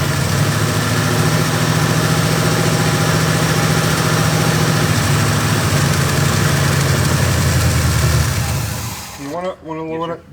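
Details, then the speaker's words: Oldsmobile Cutlass Rocket 350 with Quadrajet carburetor, idle screw set two turns out during adjustment: loud, fast, slightly uneven V8 idle staying high about nine seconds; vacuum leak still present. "it still has a vacuum leak but we're moving closer to the problem so start up again"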